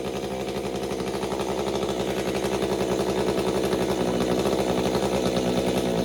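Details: Stihl MS201TC chainsaw after performance work and maintenance, recalibrating; howling at high revs with pitch surging up and down, then starting to settle.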